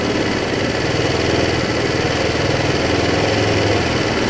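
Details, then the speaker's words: Kymco Agility 125 single-cylinder scooter after carburetor cleaning: an uneven, slightly hunting idle. The carburetion is unstable while the air screw is being adjusted from half a turn out. "a de 125 este vídeo es patrocinado por el coste mano semana extra para la costa eso entonces vamos a aprenderla esto allí al parecer se está sosteniendo un poco pero no está muy estable la carburación"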